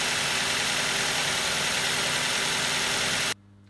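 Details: Normal idle for comparison on a 2011 second-generation Ford Focus, 2-litre petrol, automatic: steady, even idle with a bright hissy top end and no stumbles, before cylinder 2's coil is disconnected to demonstrate misfire.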